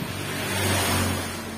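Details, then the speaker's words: Honda Vario 150 scooter rear wheel spun freely after reassembly, previously growling: soft, even whir slowly fading, no growl or rumble; slight noise considered normal. Normal wheel bearing. "Hai Kalau ada suara dikit itu wajar buatku ya kalau nggak ada suara Wah itu bahaya"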